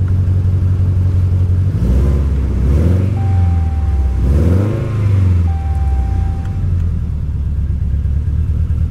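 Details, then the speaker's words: Salvage auction car runs rough and uneven with lazy rev blips and a slight backfire; smells of raw gas, warning lights flashing, tire pressure and right front turn signal messages shown; cause unclear. "well that didn't run well and you sound like it backfired a little bit yeah she doesn't sound good"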